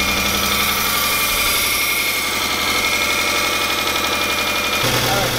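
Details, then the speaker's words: The 300 after new water pump and reinstalled timing belt with marks checked: uneven, lumpy idle with a stumbling beat, a cylinder dropping out; misfire, rough idle, cause not yet known while coil packs are checked. "reinstall the timing belts and now it just does not sound ideal"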